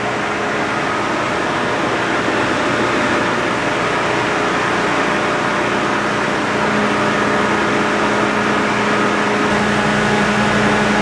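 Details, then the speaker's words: John Deere green F12-090 hydraulic motor returned for a customer-reported squeal, bench run at 2,000 rpm with no load: smooth steady whir, constant tone, no knocking or grinding; normal. "That's normal. That was 2,000 RPM. No load."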